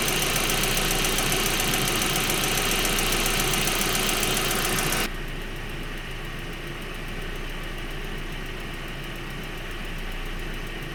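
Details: 1.8T engine at idle: fast, even ticking about three or four per second over the idle; cause suspected, not confirmed.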